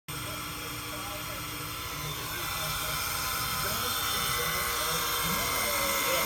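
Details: Steady electrical hum and hiss in a Kahala resort hotel room, with a faint buzz slowly growing louder; attributed to reduced power levels supplied to the hotel for an unknown reason.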